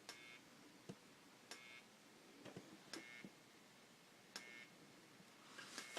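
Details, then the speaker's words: Whelen HDS14 strobe power supply after repair, running on 28 volts: sharp clicks about every 1.5 seconds from the supply, each with a brief high-pitched whine from the flash bulb as it charges and fires; working properly. "the power supply, and you should hear a click click, a high pitched noise, and this thing will turn on."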